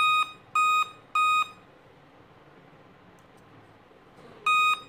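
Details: Laptop at power-on gives five evenly spaced high beeps with a pause, a five-beep POST code.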